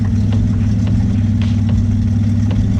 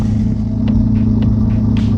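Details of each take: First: Twin-engine Mazda MX-3 engine during idle tuning, set about 700–790 rpm with fuel added after choppy low idle: low, steady, even rumble with no misses or knocks; holds idle smoothly, healthy. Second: Twin-engine Mazda MX3 on 87 pump fuel, during idle tuning: steady even idle, smooth low hum at about 1,080 RPM; idle too high, air screw tightened to bring it down toward about 790 RPM.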